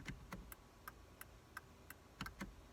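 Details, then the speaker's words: 2002 VW Jetta MK4 after replacing the failing turn signal flasher relay, which kept clicking after signals were off: quiet crisp steady clicks about three a second, quieter than the old one; normal flasher. "Excellent. It's not quite as loud as the old one."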